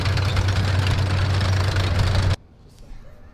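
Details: Historic armoured vehicle being readied for AusArmourfest, started for a test drive: deep, even low rumble with steady firing and no knocks or misses, then a clean shutdown; it runs like a charm.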